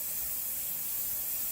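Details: Stovetop pressure cooker with small-cut veggies, timed for 2 minutes: steady, even high hiss with no sputter or surging. Normal steam venting at full pressure.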